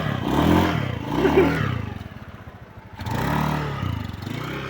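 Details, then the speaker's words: Honda Beat V1 scooter after replacing the crankcase bearing to cure a noisy CVT side: engine revs up and down smoothly with a clean drone, the knocking is gone and it sounds like stock again. "Parang nagbalik sa stock yung ano talagang ano niya."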